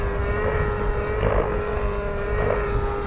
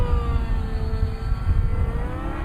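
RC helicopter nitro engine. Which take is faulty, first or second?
first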